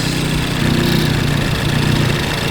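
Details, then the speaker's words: Ford Focus ST with ATP GTX2867 turbo (internal wastegate), stratified 4-port aux fuel kit, injector test map at idle on dyno: even steady idle, engine note shifts as aux injectors fire; injectors working, idle healthy. "Not sure if you guys can hear it, but I can hear and feel the injector fire, and you can hear the engine change. That's how you know that your injectors are working,"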